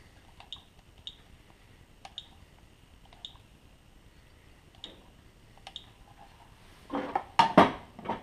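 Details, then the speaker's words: Burner fuel pump run via fuel bleed menu with fuel line disconnected, at maximum frequency: sharp, light ticks in a quiet room, steady drip from line, no air in line; fuel pump working normally. "The pump is working well. It should run at maximum frequency and you should see a steady drip coming out of the fuel line."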